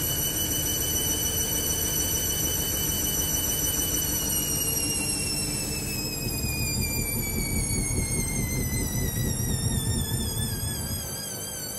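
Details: Hoover Link washing machine with a badly unbalanced load: motor whine climbs, then sags as the spin aborts and retries in intermittent bursts. Spin is cancelled; bearings are not audible.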